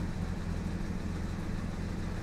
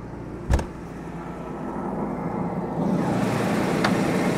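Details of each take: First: Jaguar XJ6 Series 3 six-cylinder petrol engine, customer car that almost stalls at red lights; after settling it has the typical lumpy, uneven idle, only slightly better after trying a different coil, so ignition is suspected as part of the cause. Rough idle, misfire. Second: Jaguar XJ6 Series 3 six-cylinder idling cold, dead smooth at 1100 rpm with a steady, even low hum and no misses. The owner complains of a rough idle and near-stalling, and it starts misfiring after about three minutes.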